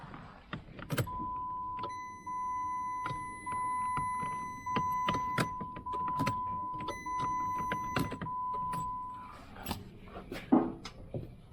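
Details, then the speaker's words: 2007 Jeep no-start: a dash chime plays while the starter solenoid clunks, kicking out the starter gear on each attempt, but the starter motor never turns the engine; the starter was diagnosed as bad and replaced. "So, I order I did my hammer diag and beat on the starter with a"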